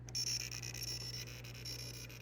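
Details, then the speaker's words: WPC Terminator 2 pinball machine, logic probe on lamp matrix row wire 138 D1 during troubleshooting: quiet high-pitched ticking pulses in a steady repeating pattern that match the lamps flashing; this row is switching normally, and the suspect wire sounds identical. "you see that pattern and it kind of coincides with the lights flashing on the well you can hear it and they all sound the same"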